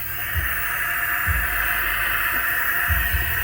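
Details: Cooling system under air pressure test, aluminum thermostat suspected of sticking and causing high pressure: constant airy hiss holding steady; pressure escaping through a leaking radiator.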